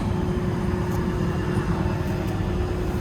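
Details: Construction machine diesel running right after replacement EPOS controller was plugged in: steady low rumble, even note without stumbling or dropouts; engine running normally after controller replacement.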